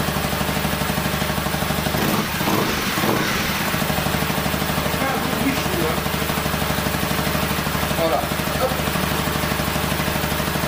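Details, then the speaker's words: 2012 Honda CBR 250 R idling with no air filter fitted, no dashboard errors: steady, even idle with a slightly hollow, louder intake note and no misses; it runs cleanly. "Par contre là, elle est en filtre à air libre, donc j'ai pas de filtre à air."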